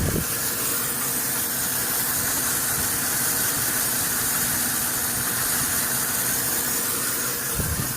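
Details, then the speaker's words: 1996 Land Rover, 156,000 miles: steady sharp hiss over an even idle, louder with engine idling higher, exhaust backing out around the manifold; engine also has no power, catalytic converter suspected; exhaust manifold leak. "if you listen closely on this side you can hear a hiss you can hear some of the exhaust trying to back out around the manifold down here"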